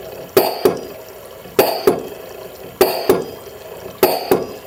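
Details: LM10 microfluidizer plunger pump running normally with maintenance-reminder function active: paired hissing clunks repeat about every 1.2 seconds in a steady, even cycle.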